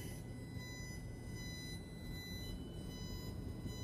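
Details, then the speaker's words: Blue Yeti USB microphone with its headphone jack used as line output, mic muted with LED blinking: a low electrical hum and faint whistles pulsing about once a second, carried through the whole sound system; fixed by a cheap add-on part. "if I can get it in here see the blinking light it's actually beeping with that sound and that's just an LED indicator letting me know that the mic is being muted at this particular time but for some reason that noise is going through my whole sound system"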